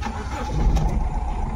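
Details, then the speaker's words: Honda Amaze diesel with low pickup, vibration and check engine light, before diagnosis; later traced to open-circuit injector wiring. Lumpy idle with uneven low thump as one cylinder drops out; engine fully misfiring. "बाहर से देखेंगे तो engine पूरा miss fire हो रहा है"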